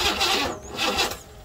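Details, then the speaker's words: 1968 Buick Riviera parts car, not running: the starter spins in short uneven bursts with a few catches but never fires and settles. The battery is getting low. "It's trying to start, but"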